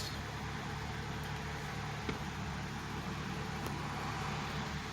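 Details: 2011 Chevy Malibu fixed after multiple-misfire codes and stuck-open fuel injectors on cylinders 2 and 4, with new throttle body, intake manifold, sensors and battery: a quiet, even idle hum with no stumbles or skips. Settled and smooth.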